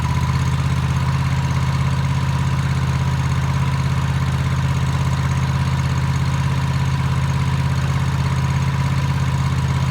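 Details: Toro TimeCutter MX 4200 zero-turn twin, previously running rough, right after replacing both ignition coils: smooth even low idle thrum with no surging or hunting over ten seconds; coil replacement fixed it.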